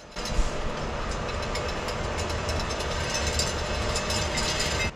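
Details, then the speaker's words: 2002 Chevy Silverado front wheel hub assembly, replaced during a front-end rebuild. Harsh, gritty metallic grinding comes from worn hub bearings that sound like dry metal balls with no grease. "are grinding like crazy it just sounds like metal ball bearings with no grease which is exactly what's going on"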